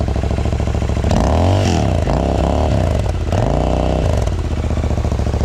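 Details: 3-year-old Euro 4 Royal Enfield INT 650 twin with free-flow exhaust and FuelX lean-fix on setting 6: loud throaty idle, blipped twice, revs rise and fall cleanly with no misfire or clatter; runs healthy.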